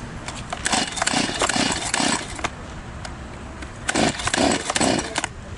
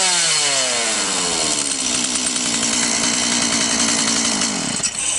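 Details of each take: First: Stihl chainsaw that won't start: repeated rasping pull-starter strokes in bursts, never fires; spark plug found fuel-soaked. Fixed by draining fuel, blowing out and refitting the plug. Flooded engine. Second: Stihl chainsaw that wouldn't start due to a flooded spark plug, after draining fuel and drying the plug, revs smoothly to a high, even two-stroke scream and holds steady; running properly again.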